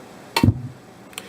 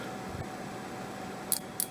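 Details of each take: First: and you heard our speakers just, well, why? Well, our mute trip relay didn't kick in. We did not get a click. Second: Seeburg jukebox mute trip relay, bench-tested with a DC power supply at limited current across the coil terminals: three crisp clicks about a quarter second apart in a quiet room; the relay coil pulls in cleanly, so the relay works.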